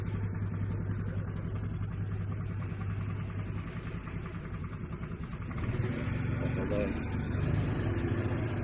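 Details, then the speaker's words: Honda Vario CBS scooter after a CVT repair for noise under throttle, with the clutch linings and roller housing reworked: steady idle, then clean revving with even response and no rattle or grind from the belt drive, normal CVT running. "gas sudah halus ya. Tenaganya juga lumayan ya, lumayan nambah, cakep lah udah."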